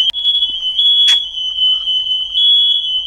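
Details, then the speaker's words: Home fire alarm going off suddenly with no fire, one of three alarms across three floors, red light blinking on the ground floor: piercing, continuous ear-splitting high-pitched tone, false alarm, cause unknown. "এই যে এটা হচ্ছে fire alarm. বাবারে কি আওয়াজ, বিটখুটে আওয়াজ, মানে কানে তালা লেগে যাচ্ছে, কান ফাটানো আওয়াজ যাকে বলে।"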